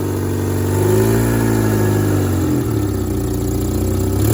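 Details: Idling and lightly revving engine with a faint puffing tick on the exhaust note, from a leaking exhaust manifold gasket; quieter at idle, worse in gear and accelerating.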